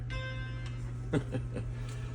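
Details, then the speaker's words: Macintosh IIfx downgraded to a Macintosh II, powered on once the loose battery was seated correctly: a short chime over steady mains hum, then drive clicks and a gray screen. Normal startup chime. "Battery is loose. Okay, it chimed. It turned right on once the battery was inserted correctly."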